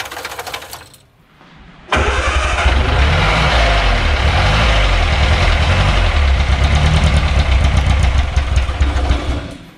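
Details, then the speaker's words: Austin-Healey Sprite barn find, first start after sitting, carb gaskets shrunk and float bowl leaking: catches easily but runs rough and uneven, held up only on throttle; rough running, will not idle yet. "this one started quite easily doesn't want to idle quite yet"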